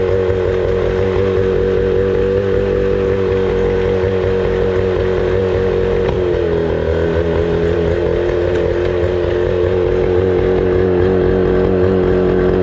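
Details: 25HP Mercury outboard that sat 4 years, idling after carburetor cleaning and fresh gas: a steady, even idle with a smooth buzzing note and no surging or misfires; running healthy.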